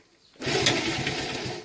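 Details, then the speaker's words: 1972 Honda ST70 Dax, spark plug just refitted: engine catches with a short rough burst just over a second, then dies as primed fuel burns off; fires briefly then stops. "yes it definitely run what fuel would prune in there it's just burning off right"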